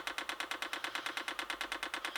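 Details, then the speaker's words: HCalorie Chinese diesel heater with homemade pulse generator and MOSFET controller, priming at 11.2 °C before first firing: sharp even ticks about eight per second, dosing pump clicking slower than expected; possibly disturbed wiring to multi-turn pot. "we're going to see if we can prime the pump that's slow what's going on there hmm there's a first problem I don't know if you heard that but I was particularly slow"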